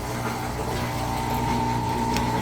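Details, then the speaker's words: Amana (Whirlpool-made) top-load washer that would not drain; drain pump run in diagnostic mode after a big pair of boxers was cleared: steady motor hum with thin whine near 900 Hz and water rushing, pump draining normally. "hit it and we've turned the pump on and it is now draining the water out"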